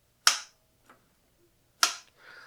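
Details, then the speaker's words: Harley-Davidson throttle body during throttle cable adjustment, quiet room: two crisp sharp clicks about 1.5 s apart as the throttle plate snaps shut, normal; same sound expected when fully open. "intake is going to have that exact same sound when it's open all the way too."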